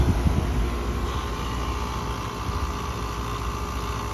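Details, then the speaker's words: Outdoor unit of a Concord AC installed September 2021 runs with a heavy, rough low drone and steady hum, far louder than normal; has made strange noises for a while, owner says it's the compressor, not vibrations. "that's not vibrations that's the compressor"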